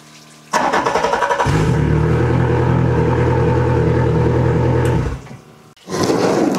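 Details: 115hp Yamaha outboard cranked by 140Ah LiTime LiFePO4 lithium battery: brief strong cranking, catches quickly, steady even run before shutoff; starts readily.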